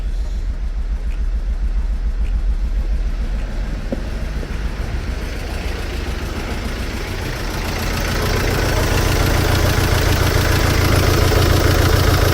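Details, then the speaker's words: Mercedes Sprinter diesel van just after injector replacement and coding; uneven, lumpy idle about three and a half beats a second, then note builds heavier and rougher; always needed coaxing; rough lumpy idle. "oh just oh she's running a bit about a lot about Lumpy but it's needed it's always needed coaxing"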